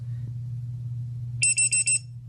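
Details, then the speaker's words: Hellgate FPV lost-model buzzer on a drone, sounding after the battery is disconnected (it starts about a minute later): four loud, shrill chirps over a low hum. "And that's what the buzzer will sound like after it ejects your battery. It takes about a minute for it to actually start going because it's thinking maybe you're going to plug another battery in or whatnot. And it's pretty loud."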